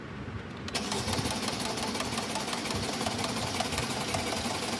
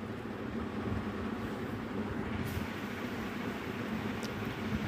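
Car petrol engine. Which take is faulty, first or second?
first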